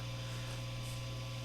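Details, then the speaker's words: Epiphone Les Paul Special with stock Epiphone P90s, bridge pickup, tone and volume full up, Fender Hot Rod III Deluxe clean channel, strings not played: a steady low electrical hum with faint buzz on top, mains hum picked up by the P90 pickups. "and you can start to hear now if you listen really closely bit of hum in the bridge position"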